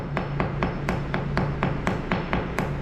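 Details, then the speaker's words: Hammer tap test on a garage concrete floor before coating: steady taps, about four a second, ring hollow where the top cream layer has delaminated from the substructure and sound solid elsewhere. "so you take your hammer and and gently tap the concrete around the defect and you can hear a noticeable audible change in the area that structurally sound and the area where that surface has divided slightly"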